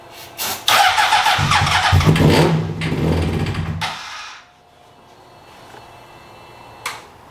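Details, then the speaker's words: 2003 Honda CBR600RR, repeated start attempts with gas, spark, oil and coolant confirmed: starter grinds, engine catches briefly with a rough rev, then fades out and dies. Crank no start. "well got gas got Spark it's got oil got cool in it I don't see anything spewing out of it"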